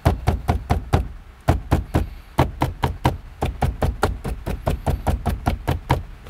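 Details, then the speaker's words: 2013 Toyota RAV4 dashboard trim after a pliable foam piece was fitted in the center: quick knuckle taps, about four a second, give clean dull thuds with no buzz or rattle, so the trim is secure and quiet. "I'm very happy with that result so there's one rattle Sol"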